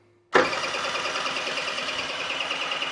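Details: Swende's Sfera scooter with mysterious no-start: fuel arriving, spark plug leads attached, choke on, starter bites suddenly and spins engine with steady whirring churn, never catches; cause still unknown.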